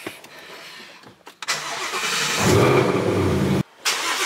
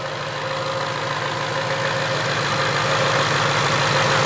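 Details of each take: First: Supercharged 2019 Mustang GT, flashing check engine light after a race, code P0300 random multiple cylinder misfire: cranks, catches and settles into a loud fast cold idle with a light weird rattle over it; source unknown, owner suspects catalytic converter. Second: Supercharged 2019 Mustang GT with P0300 random misfire code, pulled off the road after driving, at the tailpipe: smooth steady idle with no stumbles or knocks; idling fine despite a slightly dirty tailpipe.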